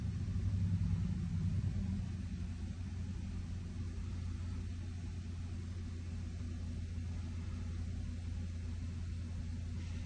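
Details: Toyota after secondary air injection failure, cold start with scan tool reading air pump pressure that now builds: steady low hum and even rumble with no rattles or surging; secondary air pump running properly.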